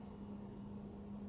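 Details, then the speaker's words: Delonghi glass-door bar fridge from the dump, compressor running as inside reaches 5 degrees before cycling off: steady low hum near 200 Hz, no knocks or rattles; normal running. "that's when the compressor stops so it'll probably stop in a few seconds and what happens is as the temperature inside rises when that gets to eight the compressor comes back on that's how all fridges work"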